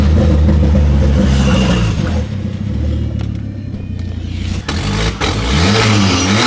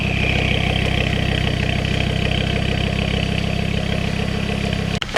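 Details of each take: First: Ford Focus ST/XR5 Turbo with severe misfire: revving with raspy chuffing, louder under throttle at the front; exhaust leak where the downpipe bolts came off at the turbo. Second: Ford Focus ST/XR5 Turbo after the exhaust leak repair: smooth regular idle, much quieter, no puffing or ticking, exhaust note now coming from the rear; leak fixed.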